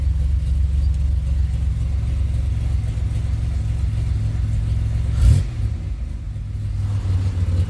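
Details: 2007 Pontiac Grand Prix GT after a fuse box swap, which the owner hopes cured its crank-no-start. Low, steady engine drone with a quick blip of revs that settles back smoothly; idles evenly with no stumble.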